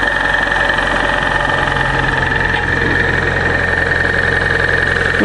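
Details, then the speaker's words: Car started outdoors in a cold snap, cranking after a dead battery: steady cold idle with light, quick ticking from the top end; owner suspects lifter tick from oil not yet reaching the top, not confirmed. "that lifter kick. That oil not getting to the top."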